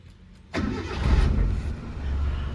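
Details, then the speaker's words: 2001 Suzuki Katana 4x4, hood open: short crank, starts on the first try and settles into a very smooth, quiet, low steady idle with almost no noise, no misses or knocks; normal engine start. "Sekali start langsung nyala. Jadi mesinnya sangat halus kalau ini. Hampir tidak ada suara."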